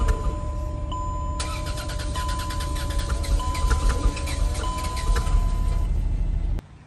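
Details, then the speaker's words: Chrysler Pacifica/Dodge petrol engine with white smoke, revving high at idle without throttle, harder to start, runs unevenly then shuts off by itself as a dash chime repeats; owner suspects coolant mixing with oil, not confirmed. "Aside for harder to start, the engine is shut off automatically."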